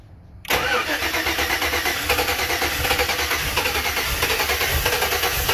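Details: 2007 Chevy Avalanche 5.3L, ECM replaced, codes P0123, P0223, P0315, P0633, U0214: starter spins the engine at a steady even beat for several seconds, never catches; owner suspects the anti-theft module or a cheap key.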